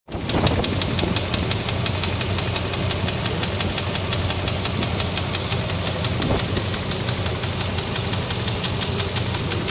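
A rapid, even metallic knocking rides over the idle and never lets up; the engine is knocking, cause still to be found.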